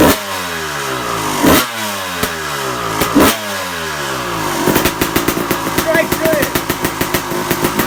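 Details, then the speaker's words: Suzuki RM250 two-stroke, freshly rebuilt, first start on choke and warming up, idle not yet set and not hot enough; crisp revs rise and fall, then settle into quick, even popping, running freely and healthy. "idols not set yet so I just want to get some heat into it we're not hot enough"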